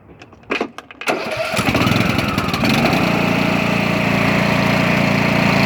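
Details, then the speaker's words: Craftsman T2200 mower, Briggs 540cc engine after camshaft replacement and oil refill, started on choke: a few short cranking bursts, then it fires and settles into an even, steady run with no knocking or misfires; healthy start and idle. "all right engines fixed hard parts over i'm gonna put all the covers back on everything i'm gonna let it run let it warm up make sure it's good"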